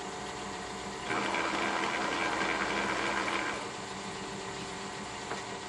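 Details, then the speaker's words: Kearney & Trecker universal milling head with a newly made drive gear: a steady mechanical whir with a harsher rasping stretch, worse on the recording than in person, with no noticeable vibration. "well there's no real change in the sound and again the video is a lot worse than what I'm hearing in person I do not feel any vibrations at least not discernable vibrations in the bracket or the machine or anything around that gear so I'm not exactly sure where this noise is coming from"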